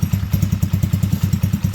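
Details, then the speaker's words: T-Rex go-kart after crash repair, on choke just after starting: even low chug about seven or eight beats a second with no misses or knocks; smooth healthy idle. "So that sounds pretty good. Sounds pretty smooth, don't it?"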